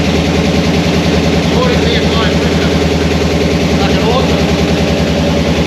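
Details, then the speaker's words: HT Holden with newly swapped 253 V8 on its first start after install, straight headers and no pipes, no coolant, oil pump packed with Vaseline: loud, deep, even rumble with a steady beat and no knocks or misses. A healthy idle. "She's all fired up. We've got no water in it, so I better not leave it run too long,"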